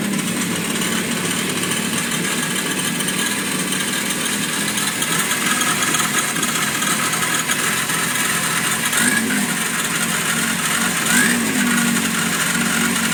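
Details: FZR engine running: a thin, high squeak over the mechanical clatter, not settling; squeak source unclear.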